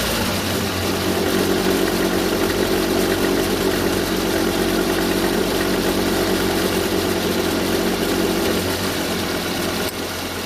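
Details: 2015 Volvo XC60 T5 AWD petrol engine on cold start idle: about 22 seconds after start-up a deep, rough grinding rumble begins under the steady running note, with the car vibrating slightly, then fades around 40 seconds.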